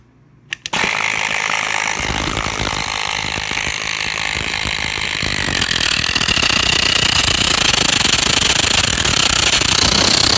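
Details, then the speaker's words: Portable inflator pump after about 15 minutes straight inflating two large SUV tires: loud rapid piston chatter with rising shrill squeal as pressure builds, motor stalling; owner suspects overheating or reaching set pressure. "but every time you could hear that loud squealing and maybe you could pick up on the video that was this stalling and um i think it's probably due to uh overheating this thing"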